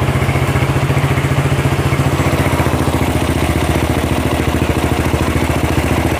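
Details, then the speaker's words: Honda CB/GL motorcycle after replacing worn camshaft and rocker arms, oil circulation checked: steady, even idle thump with no ticking or rattle from the head; normal smooth idle after repair. "halus sekarang Mas Bro Oke begitu saja untuk cek sound nya ya untuk tadi cb-nya sudah dicek suaranya sudah halus ya"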